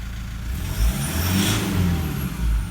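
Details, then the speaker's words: 2012 150 Prado 1KD-FTV diesel, about 150,000 km, new injectors, no pilot learn yet: low, even quiet idle with no knock or rattle, injector feedback value already down to 5. "Nice and quiet, feedback value already down to 5."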